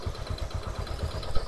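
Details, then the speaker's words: First-generation carbureted Honda Supra 125, about 2006–2007, lacking power: deep rough knock at idle, about four thuds a second; points to a worn connecting rod big-end bearing. "suaranya kayak gini ya suaranya ke meletek otak-otak kotek kotek kotek kayak gitu ya"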